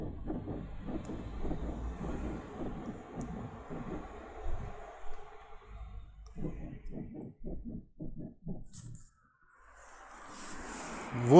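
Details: VW eBora/eLavida/Jetta parked, body rocked by hand to simulate bumps: short quick rubbery rear creaks from a rubber seal rubbing the body.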